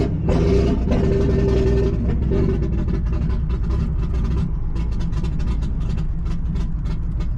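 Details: Nissan G35 with 1JZ swap on ECUMaster EMU Black, 900cc injectors, car long sitting; deep lumpy idle with uneven beat, running rough; owner suspects very old, bad-smelling fuel, cause unconfirmed.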